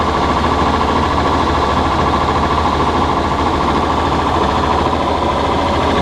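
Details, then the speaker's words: John Deere 6600 combine at high revs: a loud steady diesel roar with no knock. The stretched, too-short belt lets the pulley hit the case at low speed, despite a new spring and pulley; the belt tightens at speed, and a new belt is due. "Knocking you're hearing is that pulley hitting the ground. Put a new spring on it. The belt's too stretched."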